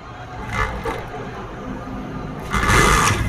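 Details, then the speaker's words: Honda CD70 motorcycle after a tappet adjustment, kick-started: it settles into a quick, light, even putter with no valve tapping left and holds a slow idle. Normal idle after the repair. "Video में इतनी अच्छी आवाज़ नहीं होती, बिल्कुल ये बेआवाज़ हो चुकी है, ज़रा बराबर भी इसकी आवाज़ अब नहीं रही।"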